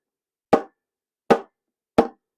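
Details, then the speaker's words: Fake Minelab metal detector bought on eBay, tapped close to the microphone: three sharp taps, each followed by a hollow, springy bong ringing out from the internals instead of a solid, dead thud. "now you can hear it I can it rings boiling that is really strange I don't know how they did that"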